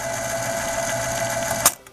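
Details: 1970 RCA YLG43 reel-to-reel tape deck after repair, in playback with rubber pinch roller engaged: even mechanical whir with high steady tone, then sharp clack on stop; strong takeup tension, possibly too much, normal transport running.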